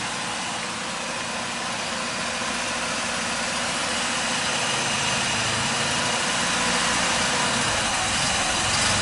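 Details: Mazda RX4 rotary engine idling with an even, steady hum and a quick regular pulse; earlier misfire and slight shaking at idle gone; clogged accelerator pump suspected.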